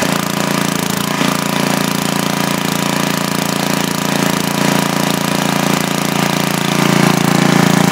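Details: Freshly rebuilt 10 HP Briggs engine on a 5000 W Coleman generator, formerly smoking, on its first run after new rings: steady even single-cylinder thump about 3.5 beats a second, no misses or knocks; started right up, no smoke beyond cylinder lube oil.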